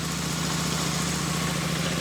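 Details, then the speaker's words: Royal Enfield Super Meteor 650 on the stand, test run after a rear belt drive conversion, belt running 1 mm from the flange. Steady idle with an even hiss and whir from the drive, no slap, squeal or ticking. The belt drive runs normally. "Looks like it's working."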